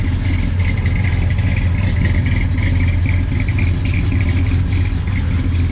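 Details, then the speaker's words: 1969 Ford F100 big block FE V8 idling with a deep, uneven, rhythmic cam chop. Normal lopey idle of a solid lifter flat tappet cam, with some metal knocking typical of solid lifters. "me are you kidding me listen to that cam chop oh my"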